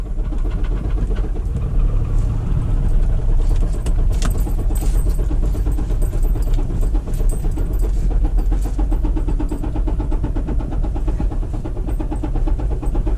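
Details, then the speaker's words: Lexus SUV that was run out of oil, oil light on: a rough-running engine with heavy, fast metallic knocking every revolution. Lack of oil is suspected to have killed the oil pump and ruined everything else. "Something's wrong, obviously. The lack of oil killed the oil pump, and then, you know, no oil just ruined everything else."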